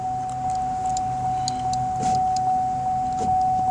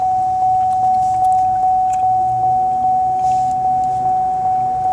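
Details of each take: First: 2005 Chevy Impala power window after repairing a broken ground wire that caused buzzing; window rolls up and down with a steady even whir, constant pitch, no stalling or grinding; normal power window operation. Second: 2005 Chevy Impala power window switch pressed: a constant high buzz with a faint tick about twice a second while the glass stays put. The cause is a broken line, most likely the switch ground wire; reconnecting it restores the window.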